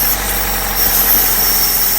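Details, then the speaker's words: 2011–2016 Chevy Cruze, engine idling: steady high-pitched hiss and whistle, PCV port sucking finger, idle dipping unevenly; vacuum leak from failed PCV valve, known factory defect causing pressure buildup, gasket wear, oil leaks and codes. "but it's definitely sucking my finger to it, and you can see the engine is not going to run right. You see how it's kind of idling down? So that is definitely bad."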